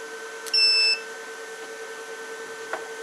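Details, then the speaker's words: Liebert GXT3 UPS during startup test with mains input removed: one short high-pitched beep over steady electronic hum, amber battery light on, inverter still outputting; on-battery warning beep. "on battery you hear it beeping we have a battery indication with the amber light and the green light tells us our inverter is still"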